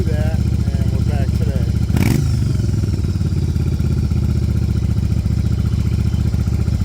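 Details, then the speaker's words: 1994 Yamaha Virago 750 chopper, reserve fuel with eight ounces of Seafoam, idle screw backed fully off: steady fast V-twin idle hanging near 2000 rpm; high idle from intake vacuum leak. "now like I said I have the uh thrawn or the idle control screw on this back all the way off so this thing should just be like on its lowest idle that it's not even touching on the tab that adjusts it"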